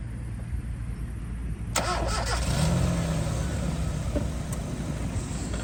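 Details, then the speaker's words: 2006 Kia Cerato 1.6 petrol with 4th-gen LPG, 195,000 km, after engine overhaul and head gasket replacement: brief crank, starts instantly and settles into a quiet, even idle with no knocks or misses; normal start and idle. "Після ремонту заводиться з піворота. Працює тихо, рівно."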